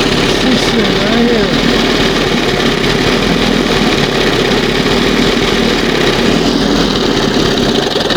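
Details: 1971 Johnson 20 HP two-stroke outboard warming up in test tank: uneven, burbly note lacking a clean crisp edge, unburned oil and gas in water after flushing; rich running from oversized high-speed main jet.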